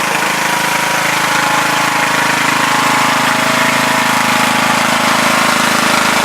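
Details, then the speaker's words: Craftsman LTS2000 lawn tractor driving after tightening a stretched drive belt and adjusting cable tension: steady, even engine drone with nothing knocking or slipping, slight whine from the CVT pulley; reverse now quicker, seemingly more speeds available. "You see, reverse is quicker now. It's not as slow. And it's fast. It's fast."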